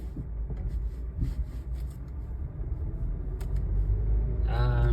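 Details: 2006-09 Honda Civic, moving: low road rumble then brief high squeak from rear passenger side over bumps, persisting after new sway bar, bushings, pads and rotors; disappears with light e-brake applied, so e-brake at rear caliper suspected.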